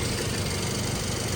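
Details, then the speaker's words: 2012 Toyota Yaris idling with headlights on: steady, even, smooth low hum with no knocks or misses. Charging 13.8 V at the battery and 13.9 V at the alternator, a good charging system. "Now with load, with the headlight on, it's charging at 13.8. So this is good."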